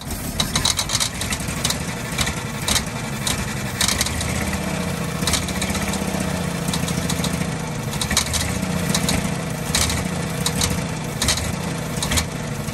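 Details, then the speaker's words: 1948 Ford F-5 ex-ice truck, first run after about 45 years sitting: rough uneven running with sharp irregular pops. Owner believes the number six lifter is hanging up on its spring, not a rod knock. "that popping noise is not a knock it is that one lifter it's number six I believe and it's a it's catching with the spring then popping back down so that's what the knock noise is"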